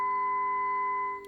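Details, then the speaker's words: Kenwood TS-440S with weak AM receive: clear, steady, undistorted 400 Hz AM test tone that then fades out; receiver now working properly on AM. The power supply is humming and needs new transistors. "I'm just receiving am 400 Hz. See the nice 400 Hz tone on there."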